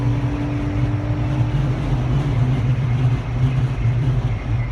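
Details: 2015 Jeep Wrangler Unlimited, 2-inch lift, with lights and a 52-inch light bar, cruising at 70 mph: even low roar and rumble of wind and road noise, no knocks or whine; normal highway wind noise.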